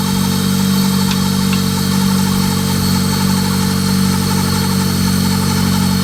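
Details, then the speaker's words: Honda Del Sol running again after work, with timing set and air bled from the coolant: a steady, very loud, deep exhaust drone with an even beat and no knocks or ticks. It is healthy, just ridiculously loud. "This thing sounds ignorant. Yeah, it's ridiculously loud. He timed it right. Good. It sounds like healthy, dude."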